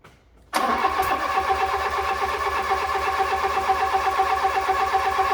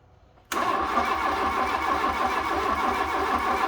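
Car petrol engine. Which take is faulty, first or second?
second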